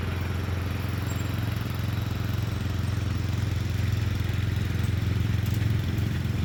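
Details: Murray Select 30-inch riding mower being fixed up, mowing on a slight incline with an unsharpened blade: steady low engine drone holding an even beat, pulling through the load without stumbling; cut decently, runs normally under load.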